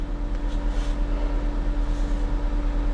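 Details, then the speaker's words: 2024 or 2025 Mazda CX-90 plug-in hybrid in for a crank-no-start complaint, after codes were cleared and the fan was plugged back in: key on, engine off, the cooling fan roars at high speed. Why it runs is unknown. "Key engine off. The fan's on. Why is it on?"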